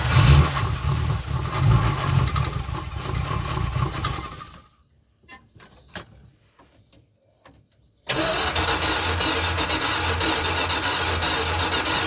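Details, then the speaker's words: 1981 Dodge B250 Ram van V8, first start after years parked: catches and runs loud but uneven, stumbling and surging, not settling. Rough running; owner thinks it isn't getting enough fuel and the carburetor probably needs rebuilding. "Definitely not getting enough gas. That carburetor probably needs to be rebuilt."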